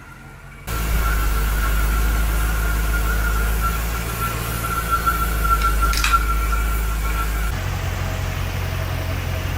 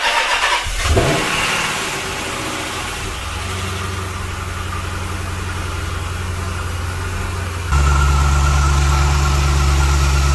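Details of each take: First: Dodge Magnum SRT8 with swapped 6.1L Hemi, intake not yet installed: after surging with a vacuum line unplugged, it idles evenly like a sewing machine once reconnected, slight waver and faint high whistle; running smoothly. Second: Dodge Magnum SRT8 after a 6.1L Hemi V8 swap, intake not yet installed and a vacuum line unplugged: engine fires and settles into a deep idle that rises and falls unevenly. The open vacuum line causes the surge.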